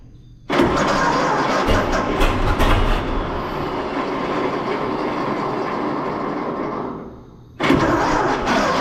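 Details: 1926 Seagrave city service ladder truck, 1013 cu in "F" six-cylinder, first start in 10+ years after long sitting, fuel fed to carburetor; cranks, catches, runs rough, dies and restarts, rich stumble from too much gas, flooding; owner also suspects a valve stuck open.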